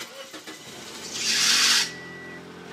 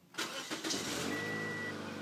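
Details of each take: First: 2007 Toyota Yaris: sharp one-second belt screech as the engine catches on a fast key turn, then steady idle; new fan belt helped only temporarily, slow key turn avoids it; suspected faulty computer signal to the alternator. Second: 2007 Toyota Yaris that squealed from a replaced fan belt on fast key turns: with the key turned slowly it cranks briefly, catches and runs steadily with no belt squeal; an onboard computer sending faulty data to the alternator is suspected.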